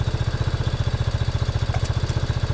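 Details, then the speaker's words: 1987 Yamaha Big Bear 350 4x4 ATV single-cylinder running on choke, carburetor uncleaned, pod filter and no airbox: steady, even thumping of about twelve beats a second with no misses or stumbles; idling cleanly. "sounds good"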